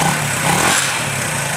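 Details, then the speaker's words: 1978 Honda CB125S, fuel changed and carb cleaned, revving with a light metallic rattle over the exhaust note; source unknown, owner mentions possible cam chain noise and known top-end oiling issues. "But something's rattling someplace. I don't know what it is."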